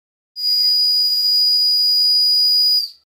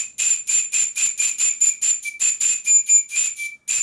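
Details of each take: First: Tiny model steam whistle of unknown origin, the smallest owned, on compressed air: a piercing, steady high shriek held over two seconds, painfully loud. It is sounding properly. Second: PM Research model steam whistle on 40 psi compressed air: short shrill toots, thin hiss, weak unsteady tone. The bell is set in the wrong position, the only spot where it whistles at all; the owner knows the underlying fault.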